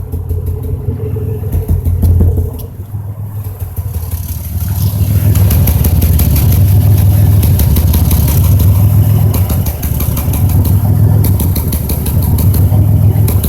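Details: 2005 Chevrolet Impala 3800 V6 idling with stumbling irregular beat, dip and catch every few seconds; cylinder 5 misfire, P0305, persists after replacing #5 plug, wire and injector.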